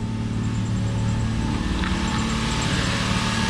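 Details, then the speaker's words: Toyota Supra after cooling system rebuild (new water pump, thermostat, coolant), engine up to temperature, thermostat working, fans on, heater blowing hot: smooth steady idle, low hum with faint fan whir, no knocks or misses; normal warm idle. "the car is up to temperature they tap them niether so many thermostats working on like last time fans on heart everything's blowing hot inside the car"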